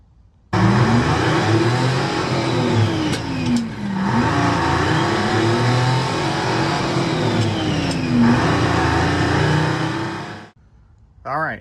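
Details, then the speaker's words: 1975 Lincoln Continental with a freshly rebuilt 460 V8, a couple hundred miles since rebuild: revs rise and fall with an uneven, lumpy beat from a misfire. "We have a misfire on the Lincoln."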